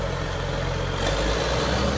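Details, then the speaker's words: 1998 John Deere 850C LT dozer, 6081A 185 HP diesel in-frame overhauled 300 hours ago, under 8,000 hours, transmission hydros replaced 1,000 hours ago; deep steady diesel rumble with even beat, no knocking or stumble: healthy idle. "Mechanically, real solid dozer. So I'm here with Al. He's gonna fire it up. He'll give you a nice demo. Real good sounding machine, guys."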